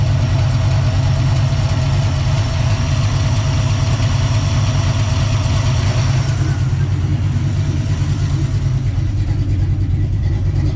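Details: Small-block Ford 306, GT40P heads, Anderson N41 cam, Holley double pumper: deep, uneven rolling lope around three pulses a second, settled after idle mixture tuning to about 12.2–12.3:1 AFR; normal lopey cammed idle.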